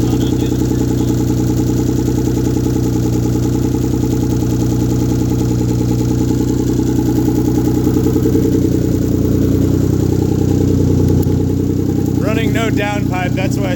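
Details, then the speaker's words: 1997 Mitsubishi VR4 first start after engine rebuild: loud, raw, raspy idle with harsh unmuffled rumble because the downpipe is off and still needs welding. "why it sounds like butt. Exhaust. Downpipe still needs welded."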